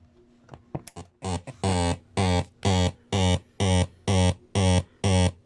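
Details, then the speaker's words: Panasonic RX-5100 radio-cassette recorder, radio works fine: buzzy tone repeats about twice a second when cassette mode is selected, louder and more frequent during playback; cause unknown, owner suspects shipping damage or age. "El detalle ya es cuando uno selecciona la opción de cassette, emite un ruido. Ese es el ruido. Y también cuando uno le da opción de play para reproducir el cassette, también emite más ruidos más frecuentes y más molestos."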